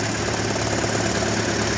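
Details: 2012 Toyota Prius at idle: a loud, dense, continuous rattle over the engine note that comes and goes, sometimes holding steady for long periods. Cause unknown.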